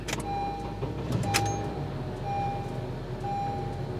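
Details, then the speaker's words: 2011–2012 Honda CR-V K-series 4-cylinder after VTC actuator replacement for cold-start rattle: engine catches and settles straight into a smooth, quiet idle with no startup rattle; normal cold start. "quiet sounds good let's take a step for a drive"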